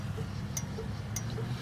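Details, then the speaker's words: 1972 VW Beetle with electrical faults, a spare two-pin flasher relay fitted in place of the three-pin one: crisp, light ticks about every 0.6 s over a low hum; the flasher works normally, confirming the old relay was bad. "so let's see if that's gonna work uh you know what matter of fact it's tinging hear it"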